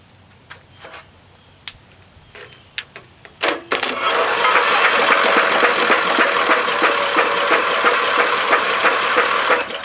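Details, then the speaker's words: Briggs & Stratton 13.5 cast iron sleeve riding mower engine, mouse nest inside, spark plug removed: after freeing locked-up starter, engine spins freely and evenly about three turns a second; spark confirmed. "What I'm finding is, hey, this engine is not really turning over like I thought it was. But then again, hang on. Starter was locked up."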